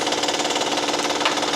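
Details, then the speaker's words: 2012 Honda Pilot 3.5L V6, hot engine running, heard from below, loudest near crank pulley: fast light steady ticking; customer reports clicking, mechanic thinks internal and suspects failed timing tensioner. "This right here, that's the timing chain tensioner. I think that tensioner has failed."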